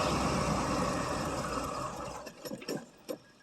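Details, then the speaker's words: 1979 Oldsmobile Ninety-Eight 403 V8 cold start on 20-odd-year-old gas with no coolant: uneven, lumpy idle that sags and stumbles, nearly dying, needs throttle held to keep running; rough idle, cause not pinned down. "that 20 some year old gas it still runs on it not very good but it runs see little idle here"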